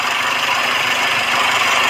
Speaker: suara mesin mobil yang bagus dan normal itu seperti apa suaranyaal ada tidak ada kemeluduk tidak ada kemelutuk tidak ada suara kemresek dan tidak ada suara mengelitik